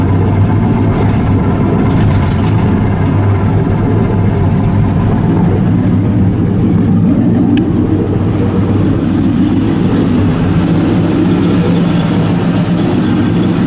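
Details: LS1 V8 after intake removal and repair of an oil leak at the knock sensor valley gasket, warming up: steady, even idle with a smooth low rumble and no knocks or ticks; normal warm-up idle.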